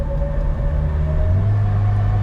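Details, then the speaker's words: 1993 Opel Corsa B 1.4i automatic, 60 hp, during highway test: low exhaust drone suddenly thickens, grows louder and rougher; whistle heard at the rear, exhaust suspected failed, cause not confirmed. "I hear a whistle, something happened to the exhaust."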